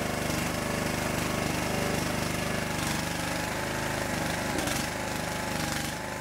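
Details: Homemade wood splitter's small single-cylinder gas engine at a start-up test after fuel system, wiring and hydraulic repairs and a two-gallon hydraulic fluid refill; it chugs at a steady fast beat with no misfires or stumbles, running evenly and healthily.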